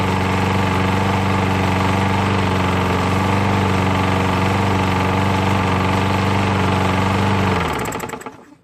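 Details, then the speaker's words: MTD lawnmower single-cylinder engine after sump gasket replacement fixed a large oil leak; coarse knocking chug about four beats a second before shutting down, sounds rough, cause unclear: rough running. "The engine sounds like it's not that great, but at least the oil has stopped leaking, and hopefully it'll last a few more seasons."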